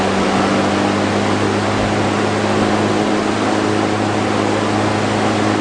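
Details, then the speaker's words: Vintage Dominion two-speed box fan on a roll stand, bearing fixed by oiling, running with a steady airy rush and constant low motor hum, no scraping or knocking. Known issue: blades can slip on the shaft and hit the motor. "and i've had it for a long time too probably since 2016 maybe 2017. this fan runs really well"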